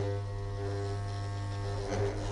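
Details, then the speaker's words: Sewing machine motor hums with a steady, deep buzzy tone and stalls when starting to sew with fabric under a lowered presser foot, then may suddenly race; most often caused by wrong start-of-sewing sequence. "швейной машины мотор при трогании с места Гудит и плохо машина стартует"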